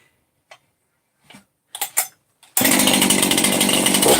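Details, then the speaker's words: Freshly assembled 268 chainsaw with OEM 50 mm close-port setup, started on choke with idle set: a few clicks, then it catches into a strong, even high-pitched buzz with oil coming out; normal, healthy running. "and there's oil coming out so we're good that that sounds nice"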